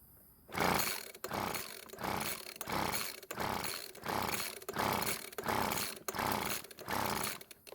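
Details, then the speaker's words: Leaf blower two-stroke with low 110 PSI compression (thought enough to run); about ten pull-cord strokes, roughly one a second, never catches but still backfires as before; carburettor ruled out, owner suspects something else wrong inside the engine. "well that was not what I was hoping to see happen it didn't even try and start but at least it's still backfired like it did before"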